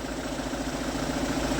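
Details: Kia Sorento D4CB diesel after work on the number-four injector washer, the alternator pulley and four idler bearings (blow-by issue): steady, even, smooth idle clatter with no chirping or squeaking from the belt-driven pulleys.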